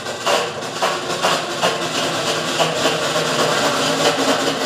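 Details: Consul top-load washer during the spin cycle: harsh, loud grinding roar with repeated scraping surges as the motor engages; a serious fault in the worn clutch/brake mechanism.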